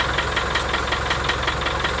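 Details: 1987 Land Rover One Ten with 300Tdi diesel idling with a sharp metallic tick about five times a second over the clatter; after overheating, head skimmed beyond limit and thickest head gasket fitted, noise for two years, source unknown.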